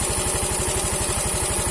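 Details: Yamaha Mio M3 125 scooter after cylinder block and piston replacement, damage caused by running out of oil, running on a straight open exhaust; quick even pulses about eleven per second, no knock or rattle; normal idle.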